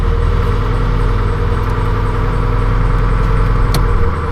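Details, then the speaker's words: 1995 Suburban with a 2-stroke diesel swap, first cold start of the day: a deep, even idle with a steady low throb and no knocks or misses; normal. "all right fellas first start of the day see how she"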